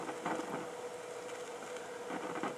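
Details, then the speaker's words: Realistic STA-2500 receiver under repair, crackling, fizzing, hissing with scratchy pops over a faint steady tone; noise also seen on pin 4, the RF amplifier output of the LA1240 IC; coils suspected. "hink that might be one of the problems but you can hear it's crackling and fizzing and hissing so yeah I'm I'm just ready to pull my hair out here"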